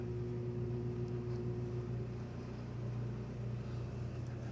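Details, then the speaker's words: RV generator, very old with thousands of hours, on 30 amp connection: low strained drone running both AC compressors, then microwave added overloads and kills the generator; 50 amp RV soft start test. "So, both ACs ran uh fine, and the microwave added into the mix was enough to kill the generator."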